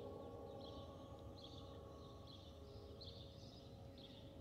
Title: Delta Airlines Airbus A319-114 N330NB DL720 SYR-DTW (FOPP whistling sound)